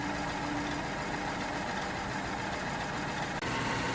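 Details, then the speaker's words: 2009 BMW 318i E90, 2.0 petrol, before repair: uneven, lumpy idle with irregular beat and stumbles, car visibly shaking, petrol smell at exhaust; misfiring on cylinder 3. "as you can see the car is running really rough and uh you can definitely see the car shaking"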